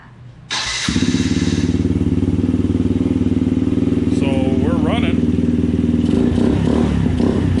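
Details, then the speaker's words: Can-Am DS90X small single-cylinder quad after transmission teardown and repair for a marbles-like rattle in the gearbox: starts and settles into a steady, even idle chug, no rattle or clatter from the transmission; fixed. "so it seems to be all fixed working better i don't hear any loud obnoxious noises from the transmission so we're gonna call that g"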